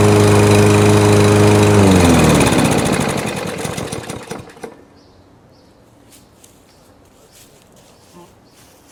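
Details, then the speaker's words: New Yard Force 22" lawnmower on its first use, idling, heard at the handle: fast, even light ticking of about three or four a second, then shut-off. Rattly tick present since the first startup; owner unsure of the cause and suspects it may be normal. "I'll just hold the handle and see if you could hear like a almost a rattly tick tick tick tick tick tick kind of"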